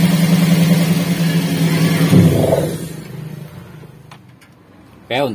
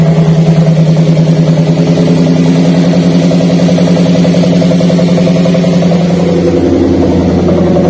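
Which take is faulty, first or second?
second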